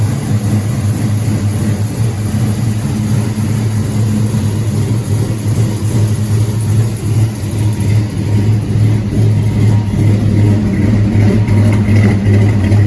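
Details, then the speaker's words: LS-swapped C10 pickup, 6.0 with cam, after new injectors, first start of morning: deep, steady V8 idle with smooth even beat, no misses or knocks; healthy. "But we drove it around the block and all yesterday, and it all done good. Takes gas good, it's real snappy."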